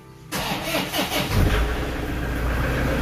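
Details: Diesel car with weak 70 Ah 80D26L battery (over 12 V, tester 50%, replace) after anti-sulfation additive, sat overnight: labored cranking about a second before the engine catches and idles; tired battery still starts it.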